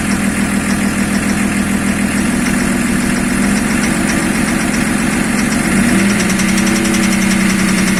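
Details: BMW E34 engine at idle: rough, uneven knocking about twice a second through the idle, beat shifting slightly as revs change; engine knock.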